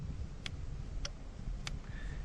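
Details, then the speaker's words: Backyard sump pump plugged in after cleaning a crud-clogged impeller: three crisp clicks about half a second apart over a low hum; the float switch still works. "So the switch still works, but look at all of that crud."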